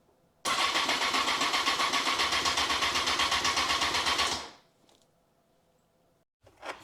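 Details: 2002 Honda CBR954 Fireblade, first start after six-month rebuild with replaced gearbox, battery reconnected and fuel primed: about four seconds of steady cranking, roughly four beats a second, no firing; cranks but won't start, fuel delivery to be checked.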